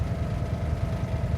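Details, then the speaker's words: Renault camper van on a long road trip: vibrates a lot at idle, steering wheel shaking; uneven, lumpy low thrumming with irregular pulses and no steady beat: rough idle, cause not found. "the only thing we have got is it vibrates a lot on idle. You can probably hear it in the background, and the steering wheel is like a shaking dog."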